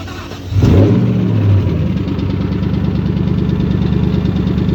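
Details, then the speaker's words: 2014 Ford Mustang Shelby GT500 at 9,000 miles, dipstick showing no oil and no visible leaks: engine starts and idles roughly with a hard, steady, regular knock. Oil starvation; the engine needs replacing or rebuilding. "Oh, this shit's knocking. It's knocking, bro, hard."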